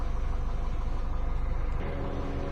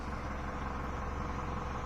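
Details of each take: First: 2011 Mini Cooper S, no turbo, engine bay, misfire fault code before repair: low idle with uneven stumbling pulse three or four times a second that settles later; one cylinder dropping out, coils to be swapped to confirm faulty ignition coil. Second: 2011 Mini Cooper S after misfire diagnosis and ignition coil replaced with new Bosch coil, fault codes cleared: steady, even low idle with smooth hum, no stumble or missing beat, running cleanly on all cylinders.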